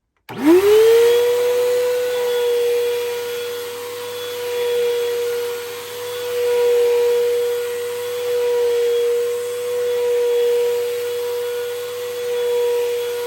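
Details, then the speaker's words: Hoover Elite Rewind Plus vacuum running: a loud, piercing, steady high motor whine. The owner does not know whether the motor is bad or has bad bearings; the cause is unconfirmed. "Yeah, like, you can hear how loud this vacuum is. Like, I don't know if the motor is bad. Like, I don't know if it has bad bearings, but I don't know."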